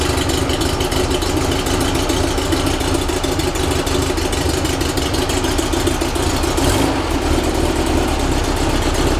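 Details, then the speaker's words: Rebuilt 1835cc air-cooled VW engine, first start after rebuild, not yet tuned, vintage speed muffler: fires and settles into steady even idle with quick regular beat, no knocks or misses; running successfully. "So it ran successfully with no real problems."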